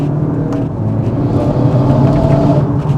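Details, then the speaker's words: Modified 2018 Golf 7.5 GTI accelerating on boost with the exhaust valve shut: deep hollow Darth Vader-like whooshing drone coming from the back of the car, not a boost leak. "Okay, that's coming out the back of the car, so it's not a boost leak, but it sounds pretty bad."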